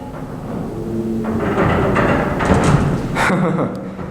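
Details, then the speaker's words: 1960s Dover traction elevator in motion: irregular thumps, shaking and rattles rise over the low travel rumble as the worn car moves in its guides. "you can hear the shaking and rattling it does as it moves but anyway there it goes"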